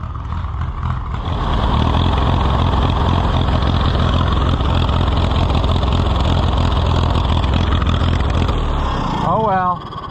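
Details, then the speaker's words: Allis-Chalmers WD tractor with WD45 engine: loud, uneven low engine drone with a ragged beat that never settles before being shut off; rough running, owner suspects a fuel flow problem, possibly a holed float. "jeez I can't stand to listen to that run like that so I'm going to have to just shut her"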